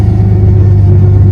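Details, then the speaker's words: Ford Mustang that sat for a very long time, idling: steady engine rumble with a faint constant whine from the automatic transmission pump, not power steering; car will not go into gear or move. "that's not power steering that wine is from the transmission pump oh yeah"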